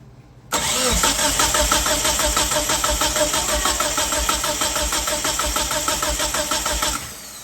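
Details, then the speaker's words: 1997 Mitsubishi Eclipse GSX cranking with fuel unplugged for compression test: even beats about three a second, about 170–175 compression, healthy; engine has unresolved no-start with throttle position code. "Alright, that's pretty good. What is that, like 170, 175?"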